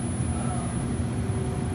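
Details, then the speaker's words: Structural Concepts display case evaporator fan, just fitted with a new ECM motor kit and tested before the cover goes on (it previously rumbled like a washing machine): steady, quiet, even hum with no rumble or knocking; running smooth and normal. "Turn it on here and you'll watch the motor. It's a ECM motor."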